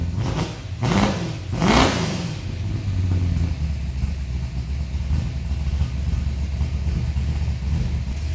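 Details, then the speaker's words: HDT VL Calais Sport V8 newly converted from Quadrajet carburettor to multi-port injection, LSA electronic throttle body, VT crank angle sensor and Haltech Elite 2500 ECU, start before the dyno: two sharp throttle blips, then steady, even lumpy idle; normal start. "We've had the engine running for a little while. It's working well."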